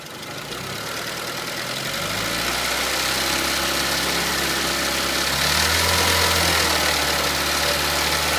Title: Engine knocking sound - crankshaft pulley?